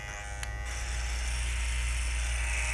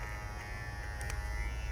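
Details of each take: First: Babyliss Pro X T 45 hair clipper with its guard attachment: a harsh, buzzy rattle over the motor drone that stops only when the guard is held, from a loose-fitting guard. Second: Babyliss Pro X T 45 hair clipper with its guard attachment, giving a steady, even low buzz with no rattle riding on it; normal running with a good guard fit.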